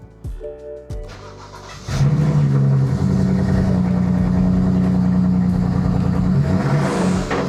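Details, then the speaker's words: BMW 335i N54 petrol engine catches and settles into a lumpy, uneven idle with a belt groan from fluid on the belt; misfire code stored for cylinder one. "But it sounds like she has a misfire. I got a little egregious with it and I didn't show you guys the codes, but it does have a code for misfire cylinder one, which is not good."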